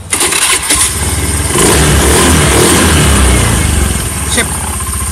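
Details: Honda Beat FI scooter after a starter fix, following a squeak heard after starting: brief crank, clean catch and even idle with no squeak; starter engagement is normal again.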